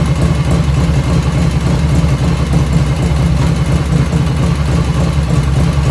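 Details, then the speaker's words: 1985 Harley FXR V-twin idling just after first start, still cold at about 49°F ambient, right after a float setting: lumpy, loping idle with no ticking or tapping from the top end, lifters dead quiet; normal idle. "When I first started up, no lifter noise at all, dead quiet."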